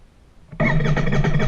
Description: Royal Enfield INT 650 failure to start